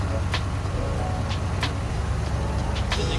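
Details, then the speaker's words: Chevy C10 V8 that had been dying at idle with the choke plate fully shut, after adjusting the choke thermostat and refitting the air filter: a loud, deep, steady idle with an even rumble and no misses or knocks. It now runs smoothly. "put the filter back on let's hear it run oh man it sounds great"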